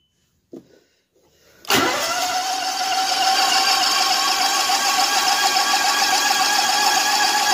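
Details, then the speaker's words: 2010 Exmark LZ60AS mower with electric choke and a replacement engine fitted last August: a quiet click, then it fires right up and settles into a steady, even idle with no misses or knocks. Normal start. "There we go. This one's electric choke. Fires right up."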